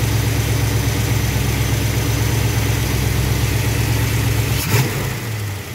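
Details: V8 with Thermoquad carburetor after baseline idle mixture tuning with vacuum gauge, in park, idle trimmed to 970 rpm, good vacuum; smooth, even idle with steady low beat, no misses or knocks; healthy, well-tuned idle.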